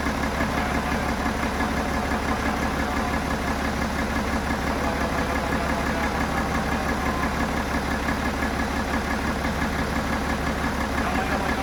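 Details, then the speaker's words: BMW F11 535xd twin-turbo six-cylinder diesel, failed engine: at idle a steady knock about three per second rides over the clatter; owner says the knocking comes from cylinder number three, consistent with a rod bearing. "he told me yeah I have a problem with the cylinder number three and I asked him yes can you tell me what's the problem and he said I have some knocking issues"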